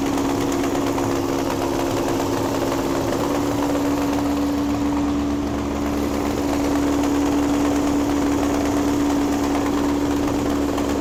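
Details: 1961 VW Beetle barn find air-cooled engine, after clutch and gear trials, running its best yet: steady buzzy idle with a constant even hum, no surging or missed beats. Normal idle.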